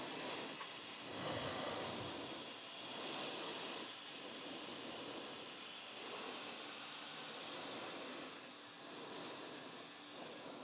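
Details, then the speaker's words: Mounting a new rear tire on a Harley Road Glide: a steady airy inflation hiss with no pop-pop of the bead seating on either side; the bead may still be seated, so it needs checking. "all right so what you want to hear there we didn't hear it was uh pop pop as the bead seats on each side doesn't mean it's not seated"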